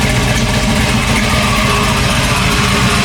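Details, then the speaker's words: Cammed V8 with a new 4L60 transmission, freshly tuned, cold air intake, 60 psi fuel pressure, not overheating: loud, choppy, loping idle from the big cam with no knocking or ticking. Normal cammed V8 idle. "But we're out here, she's running. We're out here breathing. Y'all hear that cam? Sound real good."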